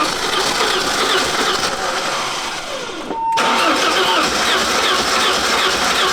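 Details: 1988 BMW E30 M3 left non-running nearly a decade; one pitted cylinder with lower compression. Catches after cranking, runs with a ragged, uneven beat, no smooth idle. Rough running; fuel pressure in doubt, cause unconfirmed.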